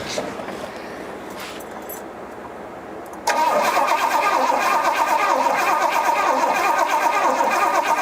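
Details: 1972 Pontiac LeMans barn find, sat about 20 years, checking for consistent spark: starter churns at a steady, even pace with no firing; cranks but won't start, sparking now heard.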